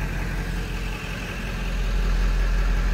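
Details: 1997 Ford F350 XLT crew cab 4x4 with 7.3L Power Stroke diesel, 95,811 miles, one family owner since new: steady, even diesel clatter at idle heard from the cab, no misses or knocks, exhaust not smoking; healthy idle.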